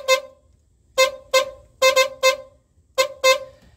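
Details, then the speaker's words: 1988–89 Jaguar XJS 3.6 (Hong Kong import), horn fed directly from the unfused hot brown wire: eight short, sharp honks at one steady mid pitch. At least one horn works. "okay so we know that Horn's working or at least one Horn's working"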